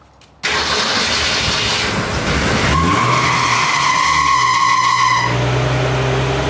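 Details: 1965 Ford Falcon after the steering column and shifter were readjusted: the starter churns about two seconds, then the engine catches and settles into a steady idle, a normal start.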